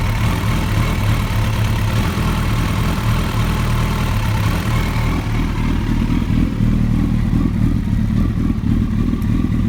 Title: Rough Idle